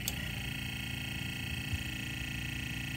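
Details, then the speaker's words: Sony TC-K65 cassette deck capstan motor: quiet steady whine with faint rough ticking about three a second; bad capstan motor bearings, likely high hours; to be replaced with the motor from a TC-K61 parts unit. "all of that sound is coming from this motor a BSL motor should not sound like that it's got bad bearings back here for sure"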